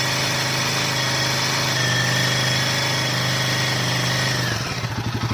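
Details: Himalayan 450, stock, bought in the same April lot as a second bike: revs held at about 3 (thousand) rpm carry a light, fast "tik tik" tick that the owner says differs from a tappet sound, then the engine dies away; cause unconfirmed.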